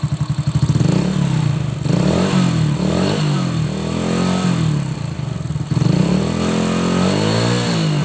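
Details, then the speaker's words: Old Honda Supra X motorcycle with a rattling noise at the valve cover, after valve clearance adjustment: single cylinder blips up and settles cleanly, rise and fall even with throttle, rattle gone though slight roughness remains, possibly worn valve tip or rocker. Normal engine running. "Ini sudah tidak seperti tadi ya sebelum penyetelan klep."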